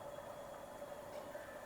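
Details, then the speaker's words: Home water purifier after reassembly (it had hummed without pumping; loose contact suspected), valve opened: the pump motor starts with a faint, steady mid-pitched hum, no rattle or surging, while waiting for water. Normal pump running. "Okay, motor તો ચાલુ થઈ છે. જોઈએ પાણી આવે છે કે નહીં."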